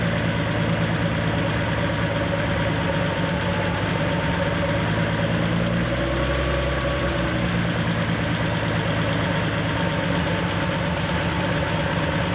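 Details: Porsche 911 2.7 L flat-six, early S cams, twin plug, 46 mm PMO throttle bodies, Tec3 management, warming up with throttle linkage refitted while both banks are checked for balance: smooth, even idle with a steady low drone, no hunting or stumbling; normal, balanced idle.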